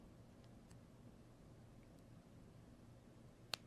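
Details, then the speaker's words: Samsung Galaxy Z Fold7 in a 200,000-fold durability test: after about 46,700 folds a single crisp click is heard as the phone folds past a certain point, a new noise from the hinge; hinge clicking. "Il y a un clic après avoir passé ce point. La charnière n'était pas comme ça avant, mais écoutez encore. Oui, j'ai commencé à entendre un bruit provenant de la charnière."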